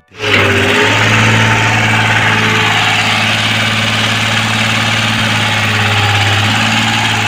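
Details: Komatsu 3D84 diesel on a PC-20 excavator that had low power, black smoke and hard starting, after injector repair with an electric fuel pump and filter added: it catches quickly and holds a smooth, even idle with no knock, miss or hunting.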